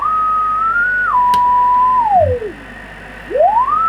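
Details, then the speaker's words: Kenwood TS700S 145 MHz all-mode VHF transceiver, receiver check with generator at 1 µV on 145 MHz: clean steady beat tone glides smoothly as dial tunes upper to lower sideband, no warble or drift; S-meter indication nonsense; normal SSB reception. "it's remote upper side bend when i go to lower side bend"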